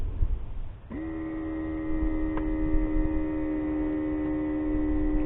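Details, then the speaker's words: Mercedes W463 G-Wagon multicontour seat air pump, ignition on: steady electric hum at one pitch for about four seconds, then cuts off; works intermittently, possibly from an air leak triggering the pump's self-protection. "now it's not working again and very very weird if there's an air leak that pump will stop working to keep itself from burning out"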